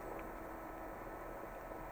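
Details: Acer XD1150 DLP projector after replacing a bad capacitor, now on and projecting: low steady whir with a faint hum and no rattles or pitch changes; the cooling fan is running smoothly.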